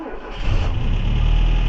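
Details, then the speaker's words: 1979 Renault 17 TS Cléon Alu 1647 cc engine before a tune-up, cold start on automatic choke: fast, lumpy idle running on three cylinders with light rocker ticking from loose valve clearance. "Voilà, vous entendez les c buteur et regardez comment elle tourne. C'est une patate. Vous voyez, elle fait du 3 cylindres. C'est une patate, elle claque."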